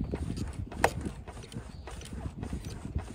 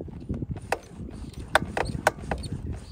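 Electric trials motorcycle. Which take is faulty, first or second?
second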